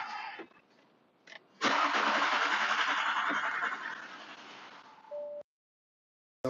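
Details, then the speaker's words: Audi that won't start, fuses checked, trouble code keeps returning, relays suspected: starter cranks at a steady chug for several seconds but the engine never catches; crank no start, cause unconfirmed. "like it was about to turn over want to do it too much cuz I don't want to burn the starter up at the same time"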